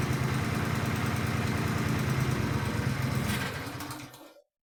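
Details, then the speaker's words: Countax garden tractor single-cylinder engine during revival: it runs with a steady, even putter and no knocks or rattles, with bugs coming out of the exhaust. It is healthy normal running. "That sounds really nice. There's spiders just come flying out the exhaust. There's all sorts of bugs just come crawling out of everywhere. Now their home's getting a bit warmed up. So that's a very sweet sounding engine."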